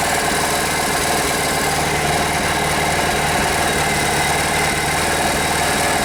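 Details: Rare Briggs & Stratton 5 hp air-cooled outboard after fixing fuel pump delivery by making fuel line and bulb vacuum-tight: steady even single-cylinder buzz at constant speed, no misses or surging; running cleanly.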